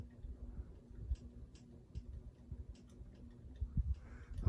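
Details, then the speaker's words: Ceiling fan with the globe fitted, after reassembly: soft, uneven ticking of about one or two a second over a low motor hum, still present but quieter than before the fix. "a man still making some ticking noise but it's [Music] reduced it's got the volume of the ticking noise is reduced you can hear it's not as loud"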